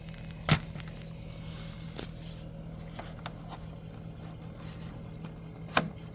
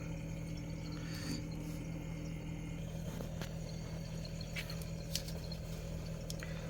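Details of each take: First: Samsung Zipel SRT686FVIS refrigerator, steady periodic low buzzing rattle from rear condenser/fan area; condenser mounting vibrating, wedging newspaper between condenser and base stops it, removing it returns noise: condenser mount vibration rattle. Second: Samsung Zipel SRT686FVIS refrigerator with a steady low compressor hum and no rattle after newspaper was wedged between the condenser and the floor; the periodic rattle came from the condenser's mounting, not the condenser itself.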